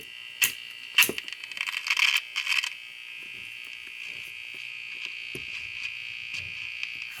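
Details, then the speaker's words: Steady high-pitched buzz with a few crackles and no station coming through from a Hallicrafters clock radio with reworked wiring and a non-original electrolytic capacitor; the set is live but has no antenna connected. "all right well it does kind of work even though albeit poorly and it's barely bearable"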